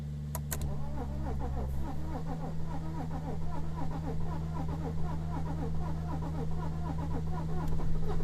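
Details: 2007 BMW 330xd E92, M57 306D2 231hp diesel, cranks but won't start: starter spins about four beats a second with uneven, lopsided compression strokes and no firing; no compression on cylinders 5 and 6, engine broken.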